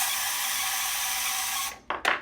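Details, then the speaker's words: 1984 vintage Kenner Imperial Shuttle toy electric motor, running with battery cover off: thin steady high squeal with rapid clicking from the paddle contacting the spinning gear until the motor stops; owner says the motor bearing sounds dry. "And you hear this motor is squealing a little bit. It sounds like the bearing is dry in that."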